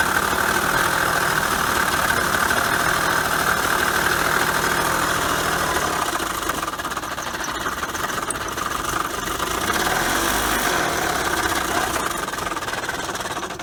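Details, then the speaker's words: Honda Accord coupe bought at auction, idling: steady loud knocking about three per second. Suspected timing chain or loose tensioners, possibly worse, not yet pinned down. "okay so I may have struck out on the accord coupe we're thinking as you heard timing chain maybe some more that might just be a car a junk or part out sound"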